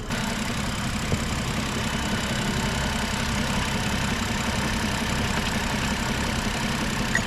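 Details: BMW with oil pressure present, diagnostics showing a radiator shutter circuit fault: steady idle with a faint, uneven tapping about three times a second under valve-train and bearing hiss; knock present, source not pinned down.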